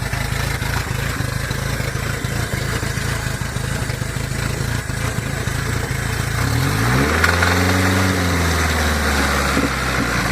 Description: My 1981 te72 corolla with a Nissan ka24de. Has hi comp sohc pistons, open downpipe, and unfortunately a knock.